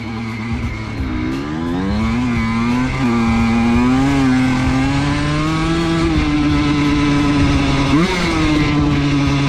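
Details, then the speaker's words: Honda CR125 two-stroke dirt bike with no throttle applied: fast, buzzy idle drifting up and hanging dangerously high instead of settling. Suspected throttle assembly or air leak; the cause turned out to be a chipped carb slide. "so as you saw in that first clip there was no throttle added and my rpms were at dangerously high"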